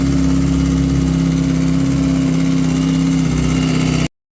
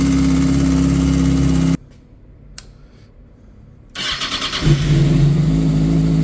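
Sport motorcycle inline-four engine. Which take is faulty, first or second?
first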